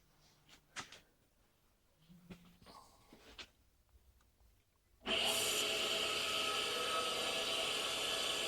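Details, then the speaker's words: Tool grinder sharpening an endmill with a Norton CBN wheel used for the first time: a steady high hiss and whine as it cuts again on the retract stroke; a clean, normal grinding pass. "As you can hear, it's cuts again as I retract."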